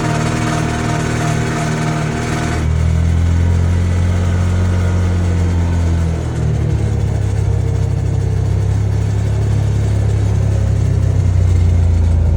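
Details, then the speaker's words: Can-Am Commander after the driveline rattle fix (new carrier bearing plus heater hose): steady low engine drone under way with no rattle or clatter from the driveline. "and this is what it sounds like or doesn't sound like with the drive line being [Music] fixed"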